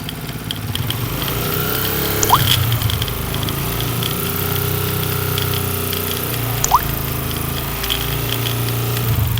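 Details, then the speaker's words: Single-cylinder motorcycle idling with rough mechanical clatter that started suddenly three to four days earlier; side cover opened revealing a broken centrifugal oil filter, which is then replaced. "सबसे पहले तो आप इस bike की यह आवाज check करें।"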